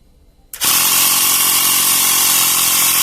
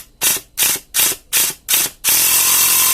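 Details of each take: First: Portable 12 V tire inflator pump after repair (piston cylinder sprayed with silicone, broken wire cut out), now building pressure to about 11 bar: abrupt start, then loud, steady, even running with a smooth hiss and a slight tone drop as pressure builds; sounds healthy. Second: Portable 12 V air pump (cigarette-lighter type) runs with sharp hissing puffs about three per second, then continuous hiss; it won't build pressure. Owner suspects worn O-rings or a leaking hose; the rubber hose has hardened with age.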